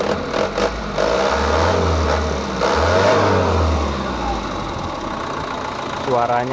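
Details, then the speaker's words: Mitsubishi Canter 110 PS diesel van, stock, after ignition timing, nozzle and valve adjustment with idle raised at governor: revs rise and fall with even, not harsh clatter, no knocks; idle seems too high, to be lowered. "tetap kita kasih untuk yang EE suara original setelan nol jadi enggak terlalu kasar kayaknya rpm-nya terlalu besar nanti kita kecilkan"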